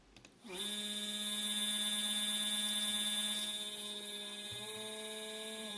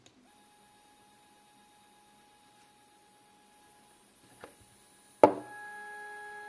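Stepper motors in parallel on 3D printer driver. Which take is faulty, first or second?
first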